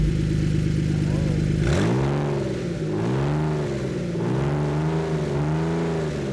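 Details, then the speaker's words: Ford Flex EcoBoost with no exhaust fitted, around 1,000 rpm idle: deep, loud gnarly burble swelling and rasping on throttle blips; open exhaust, rest of exhaust still to be fixed. "Let's see what this sounds like with open exhaust per se. I kind of like it. It sounds really deep and really gnarly."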